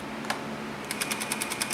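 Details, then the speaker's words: Sony EVS7000 Hi-8 VCR in forward search: sharp regular tick-tick-tick about ten per second over a workshop fan hum, as the cracked reel (pendulum) drive gear skips teeth and makes the tape jump. Play still works; full fast-forward disengages the gear. "if I didn't have this fan running in the background trying to keep cool in my workshop here you'd hear it going tick tick tick"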